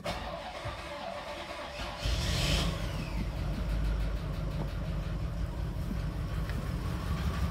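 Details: $500 flood-damaged Cadillac Allante, first start after starter reinstalled with damaged wiring and fuel pump fuse back in: quiet, then catches at about two seconds and settles into steady even idle; starts and runs fine.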